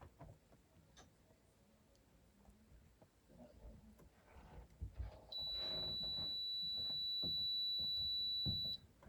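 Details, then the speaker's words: Multimeter check of transistor Q428 (2SB564) in a Nakamichi 481 cassette deck that arrived having smoked: quiet probing, then an unbroken high continuity beep for about three and a half seconds, reading about 1 ohm; suspected shorted transistor, pulled for testing. "Suspicious. 1 point something ohms is very suspicious to me. Let's get that out of circuit."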